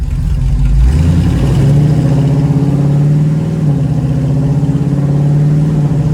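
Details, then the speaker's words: 1936 Chevy coupe with SBC 350 V8 and TH350 automatic, accelerating from a standstill: engine note climbs and drops through three clean upshifts, first, second and third; shifting normally. "carefully that sounded like third to me i'll shout it out this time okay i meant first [Music] second third [Music] so let's definitely get into third"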